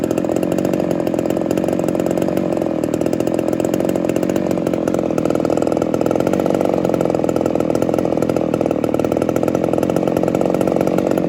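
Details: Ported Homelite Super XL-130 chainsaw after fixing a loose idle screw that was turning itself and readjusting low speed screw: steady, even two-stroke buzz at constant speed, no surging or stumbling; runs cleanly.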